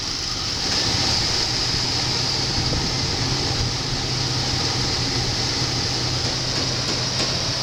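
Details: 1993 Buick Roadmaster 5.7 V8, 100,302 miles, engine test: a steady, deep rumble with no knocks, ticks or misses over background hiss; runs smooth and sounds good.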